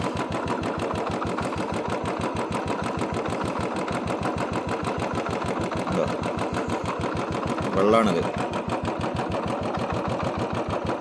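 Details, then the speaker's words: Royal Enfield Bullet single-cylinder idling with an uneven, skipping thump after rain let water into the carburettor fuel; misfire, cleared by draining the water from the carburettor. "Missing ആണ് കേട്ടോ വണ്ടി മഴ ആയതുകൊണ്ട് കറുവെട്ടിൽ വെള്ളം കയറിയതാണ്"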